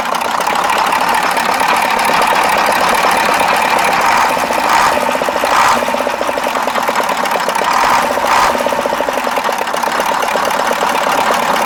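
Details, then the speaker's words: KAMAZ 65225 Euro-2 diesel truck after an engine-knock repair: even idle with a steady mid-pitched clatter and no heavy knock; owner says it runs normally and the knock is gone. "путник а нормально работает вот три раза газовыми уже даже чтобы заглушить"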